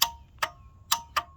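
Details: 1994 Ford F250 7.3 IDI turbo diesel, sat two years with a no-start condition; after the glow plug relay/solenoid assembly was replaced, four crisp metallic clicks with a short ring in about 1.5 seconds, the glow plugs working.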